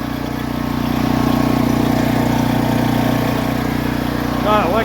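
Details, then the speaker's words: Predator 8750 W Harbor Freight generator after carburetor replacement to fix a no-start (broken choke plastic): steady, even drone with a smooth beat about 200 a minute, no knocks or surging; running healthy and quieter. "Forgot choke so that way. Yeah, sounds good. Sounds quieter."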